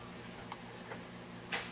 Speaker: holy crap this hard dis is dying and you can hear too and this is how you would know hard drive is dying you can hear the um you can hear the um clicks